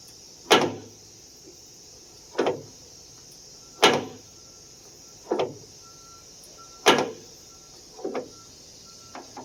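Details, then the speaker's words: 1991-1995 Acura Legend coupe door: a sharp pop or creak with each swing, roughly every two seconds. The door check strap is the cause; it must be removed from the door to lubricate. "so that sound is this guy right here don't try to lube it from the outside you've got to remove this from the door"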